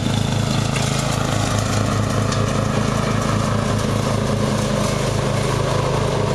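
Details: Murray riding mower, first run of the year after long storage and a mouse nest cleaned out; gas half full and not old, filter unchanged. A steady small-engine putter with a regular low throb and no stumbles or cut-outs; running perfectly.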